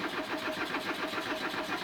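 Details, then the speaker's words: Old Audi cranking while low on fuel, with a bad fuel pump suspected: even cranking pulses about six a second with the starter whirring, but it never catches. Crank no start, cause not confirmed. "so just to prove to everyone that it doesn't work I'll attempt to start it and you'll see it just doesn't want to go"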